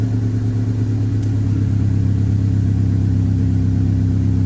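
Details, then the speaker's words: 1998 Honda Civic with check engine light and loss of power, MAP sensor suspected: deep idle hum with an uneven, lumpy pulse instead of a steady beat; rough running, owner also suspects timing may be off. "Hear how rough that was? I don't like it."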